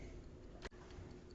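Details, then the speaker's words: 1970s Heuer Master Time dash-mounted 8-day clock, Heuer-Leonidas movement (Arogno-based), before repair: uneven galloping tick from an over-oiled movement with the balance spring out of flat. "so here we have ticking away inside our hoist hoya master timer is a hoya leonidas marked eight day movement"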